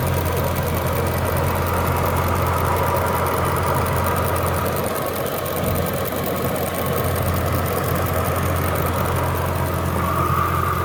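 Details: Jaguar S-Type R V8 at idle, light quick tapping about four taps a second over a steady idle; engine tick of unknown cause.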